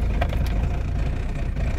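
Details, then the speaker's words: Van diesel cold start at about 2°C after waiting for glow-plug light and clicks: starts first try, settling straight into a steady, even low clatter with no stumbling or hunting; normal cold start. "premier coup impeccable"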